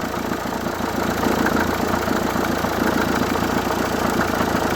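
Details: Renault 1.5 dCi K9K diesel idling: fast, uneven ticking chatter about three or four a second riding over the clatter, traced to the accessory drive pulleys.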